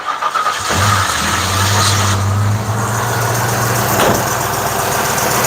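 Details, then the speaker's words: Fuel-injected V8 with a starter that hangs slightly, described as a small issue. Slow, dragging cranking before the engine catches and holds a steady idle. "now don't pay attention to the starter dragging the starter hangs a little bit which is a small issue"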